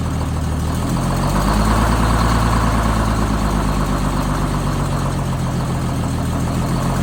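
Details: Rebuilt bus diesel engine after a fuel-problem fix, cold start at about 42°F after a 20°F night with no ether or block heater: a deep, even idle thrum of about three beats a second, no misses or knocks. Normal, healthy idle.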